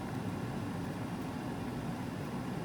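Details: Mars Azure 10859 Bluetooth ECM blower motor newly installed in Carrier 58PHA-110-12120 furnace, set to 80% torque for 1,050 RPM, drawing about 7.5 amps: smooth constant airflow rumble with steady low hum, no rubbing, rattling or squeal; running normally.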